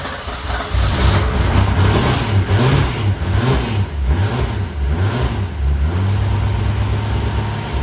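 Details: 1962 Ford Ranchero after tune-up with new spark plugs (old ones caked in burnt oil) and new temp gauge: cranks, catches, steady even idle with light revs, no knocks or misses; running at about 180–190, healthy.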